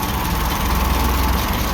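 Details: Ferguson TO-20 tractor, about 70 years old, idling after fixing valve tapping (oil now reaching valve rotators, pushrods turning): low steady idle with even beat, no top-end ticking; some belt noise; normal idle.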